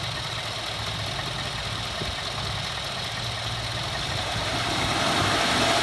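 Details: 2014 Ford F-150 4x4, hood open, phone set in engine bay, revving in place: rising scratchy high squeal and grind like nails on a chalkboard; first only when cold, now all the time; undiagnosed.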